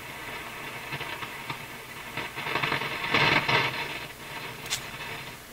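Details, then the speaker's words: Nordmende console vacuum tube radio with AM working but FM not: quiet hiss broken by irregular crashing crackles; a defective IF stage is suspected, but the cause could be many things. "Well, okay, the crashing sound. Sounds like a defective IF, but it could be lots of other things."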